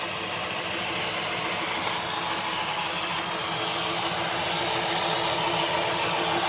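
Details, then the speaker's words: 2023 Kia Niro hybrid, 104,000 miles, driving forward and back: harsh, high scraping rasp over a faint engine note, building slightly; internal dual-clutch transmission noise. "Yeah, that loud scraping noise that's coming from that dual clutch transmission."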